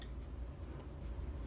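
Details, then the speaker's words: JB 50 (JB75A) vintage tube modulator, about 10 W drive for 45-50 W out, after its transmit/receive relay was fixed with modern components: crisp, separate clicks over a low hum as it keys, the relay switching cleanly and reliably. Normal. "you know how sweet that sound is to hear that thing clicking and doing it reliably"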